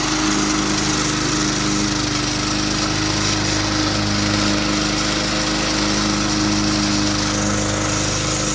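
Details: 2004 Cub Cadet Cyclocut mower with Kawasaki 179cc ~5.5hp engine, started cold after one bulb prime; steady even buzz, quick regular firing, no misses or knocks; a little tricky to start but fires up nicely; normal running.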